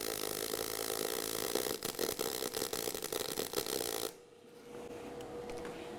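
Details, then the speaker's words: Eastwood mp250i multi-process inverter welder, MIG mode with inductance turned all the way up: about four seconds of steady, fine crackling arc sizzle with little popping, noticeably less spatter due to more heat into the weld. "so you'd probably hear that difference was there less spatter with that or substantially less because there's more Heat going into that area is that because inductance is turned all the way up"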